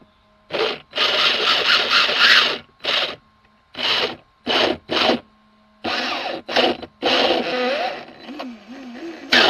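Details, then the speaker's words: Old nitro RC car converted to electric, first throttle test: harsh rasping grind in bursts with each throttle blip; pinion not going in properly, skipping on and chewing the spur gear teeth. "okay, that's eating up the gears. You can see the gears right there. That's already eating it up. Because it's not going inside"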